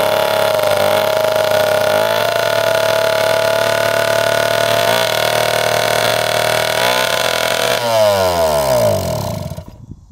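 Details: 1971 Yamaha JT1 mini enduro two-stroke, stored about 30 years, with 133 psi compression: uneven buzzing with a raspy, choked edge before dying off, because the exhaust was packed with mouse droppings or poison.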